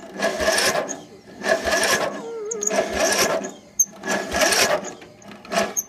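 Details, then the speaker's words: Riding mower cranks in short repeated starter bursts about a second long but never catches, despite new alternator, new ignition coil, new air filter, fresh battery and spark plugs just refitted; crank, no start. "and nothing so that's what i need help on why won't it crank or why won't it start"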